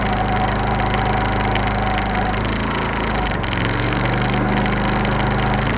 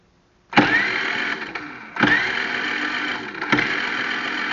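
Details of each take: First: iQ3500 generator, previously no spark, after repair, idling at 1500 watts: even, quiet hum at steady speed with no surging, knocking or misfires; running properly. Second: Generac IQ3500 generator, carburetor recently off, blown fuse bypassed with jumper wire; three separate bursts of starter cranking, each a second or so of churning with no firing catch; cranks but no spark, does not start.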